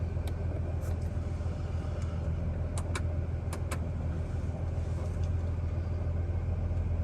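Low uneven idle rumble with a loping, irregular beat around three or four pulses a second; rough running, cause unconfirmed.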